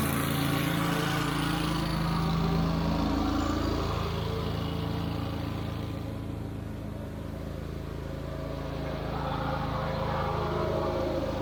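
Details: Wright Stander stand-up mower that wouldn't stay running, after carburettor replacement: smooth, even run with a steady low drone and no stumbling or surging; normal running.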